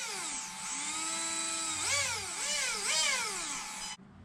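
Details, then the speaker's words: Traxxas X-Maxx 8S RC truck motor after replacing failed motor bearings, tested by hand at partial throttle: clean smooth whine rising and falling with each throttle blip, no grinding or rattle; quiet, bearings were the fault. "so i'm gonna hold this motor look at how quiet that is just don't go full trigger so that's all we needed to test nice and quiet it was the motor bearings"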